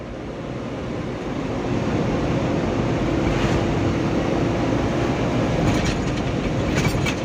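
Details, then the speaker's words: Mitsubishi Canter Euro 4 SHDX truck on a test drive: a steady, fan-like low humming drone rises with load as the throttle is pressed, yet power remains and the sound later disappears. Source undetermined. "ini kalau saya dengar kan ini muncul suara bengong ya kayak kipas tapi tenaganya ini masih loh masih bisa jalan ini teman-teman"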